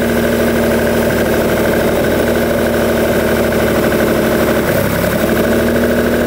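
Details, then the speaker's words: 1971 Lamborghini Espada Series II V12 barn find, first run after flooding and leaking carb fuel lines: even steady idle with a smooth hum and no knocks or misses; normal idle. "so quiet and happy the sweet little Italian kitten that is amazing sweet is it really really nice wow I wasn't expecting it to be quite this Placid"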